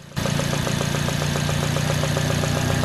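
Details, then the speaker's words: Petrol engine at idle with an installed compression-loss fault, ignition lead refitted, running okay: a soft, regular popping, roughly eight a second, puffs from one spark plug well; it is a compression leak too small for relative-compression tools to detect. "started up the engine and it's actually running okay you can hear if you listen carefully the popping noise coming up that spark plug"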